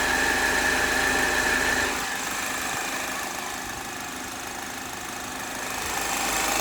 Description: 2010 HHR 2.2 Ecotec making a weird noise when warm, can’t figure it out...Take a listen.